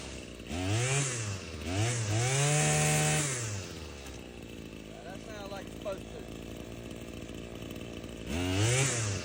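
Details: Husqvarna 525L two-stroke trimmer after fixing a bad carburetor gasket that made it stumble and fall off high idle: blips from idle to high revs and back, picking up cleanly; runs, though carburetor may be slightly out of adjustment.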